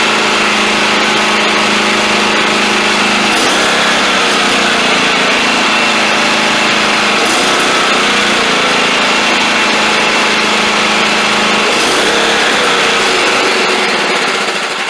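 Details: Cub Cadet XT1 LT42 Enduro Intellipower mower at cutting setting, electronically governed with no throttle or choke linkages: steady high drone swelling and sagging about every four seconds, engine surging/over-revving, cause not yet found.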